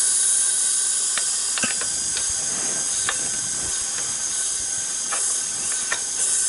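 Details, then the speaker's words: 1983 Honda ATC200 ATV with low compression, leak-down test with piston locked at top dead center: steady hiss of air out the carburetor; owner suspects intake valve leaking, valve adjustment backed off, dirty intake and missing air cleaner. "know how much of an air change you can hear but there appears to be a lot of air coming out from the carburetor"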